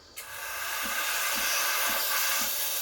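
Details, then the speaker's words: Breville Barista Express BES870 steam wand at full pressure: loud steady hiss injecting air into milk, with the pump pulsing about twice a second underneath; normal operation. "you wanna you wanna be hearing this noise that hissing noise that means i'm injecting into the milk and giving it that creamy texture"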